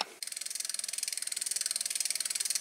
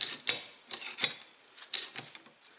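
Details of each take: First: Freewheel on another bike, for comparison with a Shimano hub just overhauled with a short ball-bearing count, whose regreased pawls now run quieter but lock up: crisp, even ticking about ten clicks a second as the wheel coasts; normal freewheel clicking. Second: Reassembled Shimano freewheel hub, ball bearings split unevenly top and bottom, spun by hand: only faint scattered ticks instead of crisp pawl clicking because grease got on the pawls; it still locks up.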